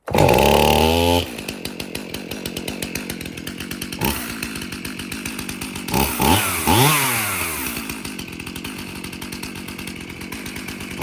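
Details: Stihl MS271 50cc chainsaw after repair of tractor damage (broken handles, chain catcher) and a service with new filters; revs crisply, then settles to a steady, even idle with regular firing and clean blips: normal running.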